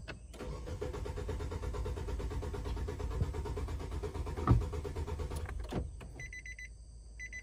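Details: 2018 Nissan Sentra 1.8, about 35,000 miles, cranking with cam and coolant temperature sensors unplugged for testing; steady starter cranking about five seconds, never catching, then a chime. Crank no start; ECM coil control suspected.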